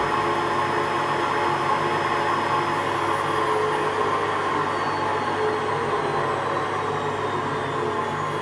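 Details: WMA40 washing machine during a test wash: a steady whooshing run with a faint uneven rumble underneath but no knocks or grinding; a bit rough but acceptable.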